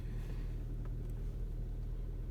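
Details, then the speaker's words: 2012 Hyundai Santa Fe 2.4L manual, 236,000, which stalled off-throttle with codes P0017 and P0079, in neutral after the fix with cam/crank data now matching: low, even rumble as it revs, no stumble, misfire or rattle. Timing data is holding. "We rev it up a little bit. And yeah, it's holding."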